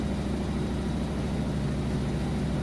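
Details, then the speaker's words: Whirlpool Cabrio top-load washer, final spin at top speed with a heavy full load: steady low hum and even rotating rumble, no knocking or grinding; spinning normally. "all right here we go full load it's about its top speed right here pretty heavy load - I can show you once it's done but it sounds great"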